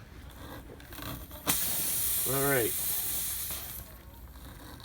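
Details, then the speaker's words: Bridgestone run-flat tubeless tire slowly leaking for days: sharp steady hiss for a couple of seconds as air escapes through the hole left by a long Robertson-head screw, before reaming and plug-patch repair. "that's a really long robertson headed screw so you can hear the air coming out of there"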